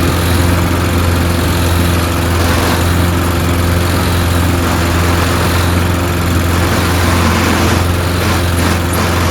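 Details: Toro Recycler mower being pieced together from broken units, running after fuel added: even, steady single-cylinder drone with a firm low beat, no misses or knocks; engine and blade PTO work; owner suspects stripped rear-wheel gears.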